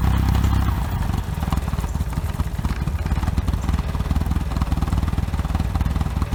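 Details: OMC 2.5 L 140 hp sterndrive in a 1981 Sea Sprite, first start after sitting since winterizing, on water muffs as temperature comes up: a low, steady burble with an even rhythm and no knocks or misses. Smooth, normal idle.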